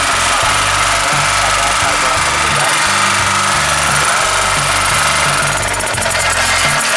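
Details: Daito 2.4 kVA portable 4-stroke generator, serviced for oil mixed with water, test-run with carburetor refitted: steady, even drone at constant pitch under music, no surging or hunting; runs smoothly.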